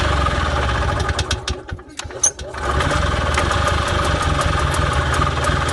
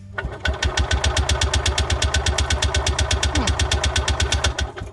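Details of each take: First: Columbia Parcar golf cart engine with the choke on. It sputters and nearly dies around two seconds, then catches and settles into a steady, even putter at idle. Engine running. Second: Freightliner (Parcar) golf cart said not to get fuel, on a newly fitted battery: strong, even cranking at about three compressions a second for four seconds, never firing. Crank no-start; the fuel line looks blocked.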